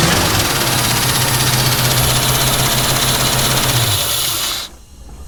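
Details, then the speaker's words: 1967 Ford Mustang idling with valve cover off after checking a ticking noise (suspected rattly PCV valve); steady idle, even light valve and lifter chatter, no separate tick, good oil pressure; normal running. "Holy shit, that's good oil pressure. So that's good. Just usual, like, valve and lifter noise, right?"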